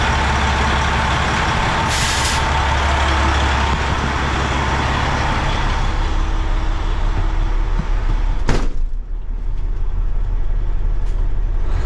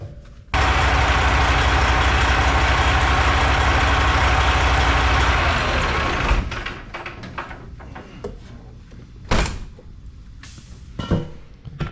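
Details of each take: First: Old Freightliner semi diesel, after repair with the valve cover off and rockers checked, no longer sputtering though still logging a fault that may need programming: steady, even low idle rumble with some air hisses, no stumble or misfire. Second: Old Freightliner semi diesel on off-road diesel, after an injector replacement that didn't fix it and a new fuel filter: fires and runs rough and uneven for a few seconds, then dies; misfire traced to a broken injector harness wire.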